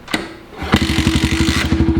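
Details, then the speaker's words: Pit bike with suspected low compression: a kick, then a short burst of ragged single-cylinder firing that catches only briefly and dies. The owner suspects the carb needs cleaning. "Are you freaking serious? Okay, I'm guessing we're gonna have to clean the carb in that."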